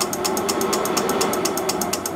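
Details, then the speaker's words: Atten PPS3205T-3S triple-output bench power supply, current-limited to 5 A, feeding an electronic load in constant-resistance mode: fast, even relay clicking about eight a second over a steady fan whirr as the supply and load oscillate. "So that's a unique quirk of the constant resistance mode when the thing's trying to hunt to do the constant resistance. That load is quickly cycling"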